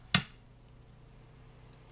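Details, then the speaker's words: JVC VN-300 amplifier-receiver powered through a bulb after potentiometer replacement: sharp switch-on click, then near silence, idling cleanly with no crackle or hiss. "No okej, ruszyło, jest bez problemu. Już nic nie trzeszczy, nie szumi, także chyba będzie dobrze, nie?"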